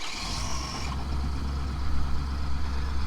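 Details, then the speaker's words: 2017 Ford F250 Super Duty, 70,000 miles, cold start on an extremely cold morning: the engine catches and settles into a deep, steady low rumble with no knocks or rattles. Normal cold start and idle. "And there it is, guys. That is the last time you're gonna hear that truck starting cold."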